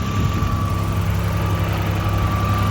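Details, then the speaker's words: 1986 Nissan 300ZX, unused for 5-6 years, after new cap, rotor, coil and plug wires: steady, even low idle rumble with a faint constant whine, no misses or knocks. Running decently while warming up; owner hopes piston rings will seat. "But it's running pretty decent right now. So I'm just gonna let it keep sitting here for a minute."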